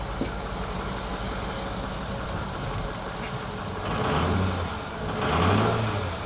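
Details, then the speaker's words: Ford F350 6.0 diesel with a replacement engine, cold-start black-smoke problem traced to loose glow plugs; after fix, cold overnight in snow: steady diesel clatter at cold idle, two clean throttle blips, no black smoke, stumble or misfire. "Sweet, dude. And none of that black puffy smoke. Give me a little gas. Just sitting here cold."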